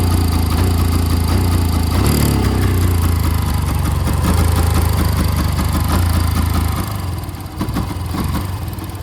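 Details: 2011 Yamaha FZ-16 single-cylinder cold start after about 7 months unused, fitted with a 150 carburettor due to misfiring; low fairly steady idle with slight unevenness; cold start idle after long storage.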